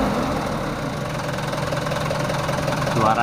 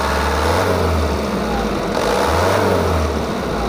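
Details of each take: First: Mitsubishi Canter 110 PS diesel van, factory standard, about 3,000 km, before valve and nozzle tuning: dull, muffled, slightly uneven idle clatter with no crisp beat; owner finds engine sound not right, no specific fault identified. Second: Mitsubishi Canter 110 PS diesel van, stock, after setting injection timing, nozzles and valves and raising governor rpm: steady even clatter, revs rise and fall smoothly with no harsh knock; idle a touch high, runs clean.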